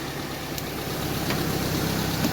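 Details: Mercedes C200 with timing-chain engine, low kilometres, sat unused over a year (earlier noise blamed on sitting): steady, even idle with smooth low rumble, no knocks or ticks; sounds healthy.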